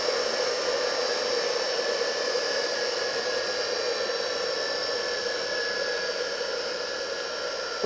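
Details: Single-phase 2 HP (2CV) high-voltage motor after repair with all parts replaced, running unloaded at 7.7–7.8 A: smooth, steady whirring hum, even tone, no knocks or rubbing; runs cleanly, ready for the customer.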